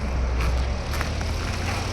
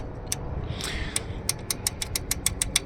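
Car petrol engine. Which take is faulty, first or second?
second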